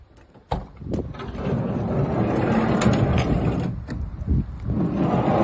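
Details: Toyota HiAce 100-series manual sliding door: loose, uneven rattle and clatter as the door travels, like worn rollers or a sloppy guide; cause suspected, not confirmed.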